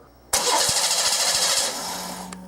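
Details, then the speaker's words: 1989 Oldsmobile 3.8L 3800 V6 with intermittent stalling: starter cranks at three to four compression beats per second but never fires; no spark, no crank position signal, wiggling a wire usually lets it start. "absolutely no spark at all so what that's telling me right now is we have no crank positioning going on okay"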